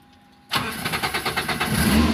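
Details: Daihatsu Espass that had oil warning light staying on: quick crank of a few even beats, engine catches and settles to steady even idle, no knocking; oil light goes off once running, normal start.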